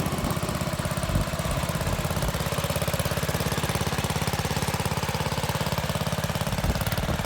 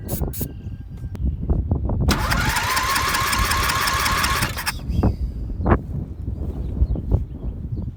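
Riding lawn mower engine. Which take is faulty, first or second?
second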